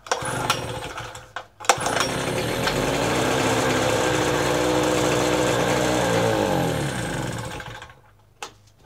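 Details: Power Pro 1000 watt two-stroke generator on mixed gas, pull started on choke after sitting a few weeks: steady buzzing drone holding even speed; runs smoothly and healthy, normal running.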